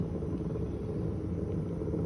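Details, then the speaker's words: Customer's 142 mm servo motor run on the bench gives a coarse, gritty rumble and grind instead of a smooth hum; suspected worn bearings, not confirmed; motor to be replaced. "Let's fire it up and see what it sounds like over here. Yeah. And not supposed to sound like that."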